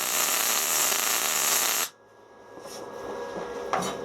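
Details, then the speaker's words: SIP synergic MIG welder with argon shielding gas, freshly trimmed wire: even, crisp frying sizzle for about two seconds, then a clean cutoff; a smooth, well-set MIG arc. "got a nose it's making like a singing children noise that's it the noise you want to hear"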